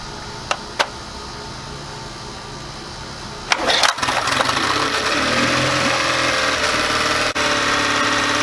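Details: Yamaha 9.9hp outboard after replacing a cracked carburettor diaphragm that leaked gas heavily; primer bulb pumped and throttled in forward gear before starting: a couple of clicks, quick catch, then a steady, even run. Normal running.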